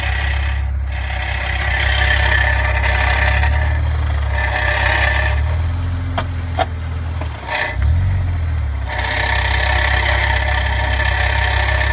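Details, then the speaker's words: 2004 BMW 330ci (E46) manual: a dry metallic rattle from underneath the car over a low idle, occurring with the clutch and accelerating in first gear, dropping away when the clutch is pressed; cause unidentified. "I have this issue of some clustering sound coming from the bottom of my car I cannot identify what the noise is I'd appreciate any help so it it is when I press the clutch"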